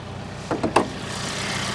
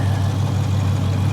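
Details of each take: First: Auction car, GT trim with turbo four-cylinder, 27,000 miles, first start; after a few brief clunks a smooth even four-cylinder idle settles in, no knocks or misses; speaker first expected a V6. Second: Deep V8 idle with a slightly uneven, lumpy beat on a hard-used auction car needing bodywork and mechanical work; no clear steady miss, rough idle, cause not pinned down.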